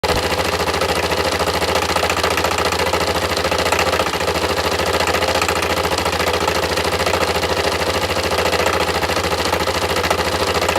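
Even, fast metallic clatter riding over a steady single-cylinder idle, ticking a few times a second; a knock is present but its source is unknown.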